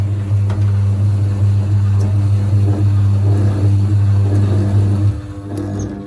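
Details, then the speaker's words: Zanussi TD200 auto-reverse tumble dryer, exhaust fan motor not spinning though dryer still heats: powered on, steady low mains hum with no spin-up, then drops off; motor energised but stalled, something possibly stopping it, cause unconfirmed. "It's trying to go right now. As soon as there's power to it. But is it turning? Well, it tried to, so there is power to it. Which means there could be something stopping it somehow."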